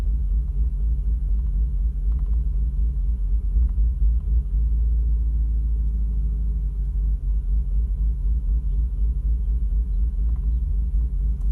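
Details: Audi RS6 C5 warm-engine restart: rough, lumpy idle with about four pulses a second that clears after about a minute; cold starts are fine, no warning light, and new coolant and oil temperature sensors, fuel filter and plugs did not fix it.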